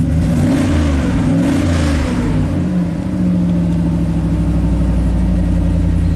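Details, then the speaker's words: 2000s Chevy Silverado 3500 dually dump truck, 6.0L Vortec gas V8, 40k miles, after replacing the cylinder 1 injector: cranks, catches, revs briefly, then settles into a steady, even idle with no shake. Much happier, normal idle. "let's fire this thing up and um oh yeah it's it's much happier"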